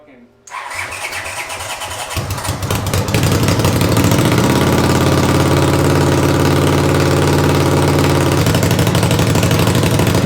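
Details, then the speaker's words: 500cc racing mower build: starter cranks about two seconds, engine catches and settles to a steady even idle, wheels turning; running normally. "two thank you all right we got it running we're not sure if it moves on its own power but it's the wheels turn everything's good"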